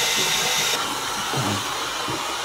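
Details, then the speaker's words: Tank refilling after a pipe joint is made, checked for leaks: constant sharp hiss that eases slightly as the float valve rises near full, with no gurgle or knocking; normal filling, no leaks. "valve is now nearly up, so we're nearly full. That's what that noise is, yeah, as it goes hissy, hiss, hiss. As it fills up, and we've got no leaks, nada, nothing."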